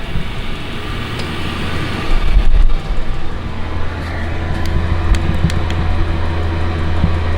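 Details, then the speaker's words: Chinese diesel heater with an intake silencer fitted, turned down to 1.8 Hz on low once the garage is warm. Soft, steady low hum with an even burner rumble and a faint water-drip-like sound; running normally and quietly. "that's down to 1.8 HZ which is what I've got it on most of the time once my garage is warmed up what you can hear is that but that don't bother me as I say like a water dripping"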